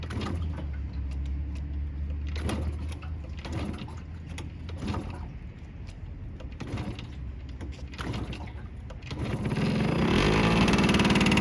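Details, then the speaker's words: Yamaha YSR 50 two-stroke cold start on choke after months sitting, crank seals replaced and new 6-volt battery: uneven puffs and clatter, then catches into rising buzzy idle; healthy start. "And the bike runs super good, usually starts right on first kick, and we're about to fire it up for the first time in a few months."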